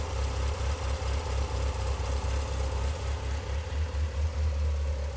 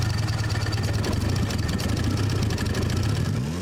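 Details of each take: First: Mitsubishi Lancer Evolution 8 after new OEM engine assembly installed, idling on walk-around; steady even idle with deep smooth rumble and light cam chatter; healthy. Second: Rusty Mitsubishi Evo 8 turbo four with over 210,000 miles, engine only kind of runs: uneven, lumpy, stumbling beat at low revs, barely holding together; owner expects an unhealthy engine, cause not determined.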